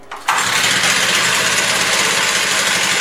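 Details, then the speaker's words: Stihl TS350 cut-off saw after engine rebuild, indoors, after turning the carburetor idle screw two full turns in; fires at once and settles into a steady buzzy two-stroke idle that holds without dropping off, normal idle. "okay that seems good for an idle"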